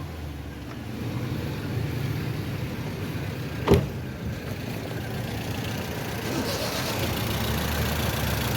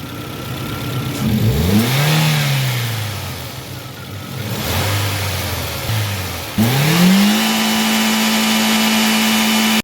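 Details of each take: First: Toyota Corolla petrol engine idling rough and lumpy with an uneven shaking beat, a rare two-cylinder misfire. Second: Toyota Corolla after repairing a rare two-cylinder misfire: petrol engine revs up and settles smoothly, even note, no misfire stumble.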